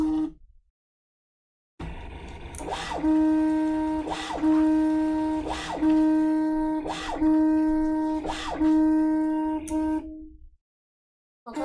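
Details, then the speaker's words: New Prusa i3 Mk2s 3D printer preflight self-test: stepper motors sing a steady mid tone in repeated moves about every 1.5 seconds, each starting with a small clunk; normal axis travel. "That's getting really annoying. There's got to be a way to make music with these."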